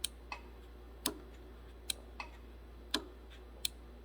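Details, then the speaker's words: 2006 Honda Civic with AC not working: compressor clutch engaged intermittently via a relay jumper across the relay pins, making sharp uneven clicks over a quiet hum with some attempts missing; excessive clutch coil air gap means too little pull to engage. "That's usually a result of excessive air gap on the clutch coil. Hasn't got enough power to engage."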